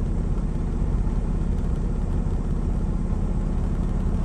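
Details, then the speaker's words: Diesel truck with low compression in cylinders 4–6, after valve adjustment, air filter off: smooth, even idle with audible turbo whine; runs much better than before. "I find as sounds a lot better than yesterday now I don't have the air filter on there so you can actually hear the turbo and uh kind of winding and spooling so runs a lot better than yesterday"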